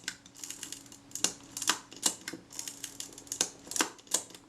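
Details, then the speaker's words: Retina IIa shutter after reassembly, retaining ring finger tight, cocking action rechecked: a string of crisp, sharp clicks from cocking and firing, clean and snappy with no drag; it sounds great, normal shutter operation. "Right, that's just finger tight. Let's just check that shutter cocking action again."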